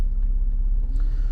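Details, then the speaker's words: Lada Largus/Renault Logan heater blower fan after removal, cleaning and reassembly, that previously squeaked and whistled: steady low hum at speed 1, even tone, no squeaks; blower runs normally. "проверяем печка работает 1 скорости нужно получше без скрипов и все"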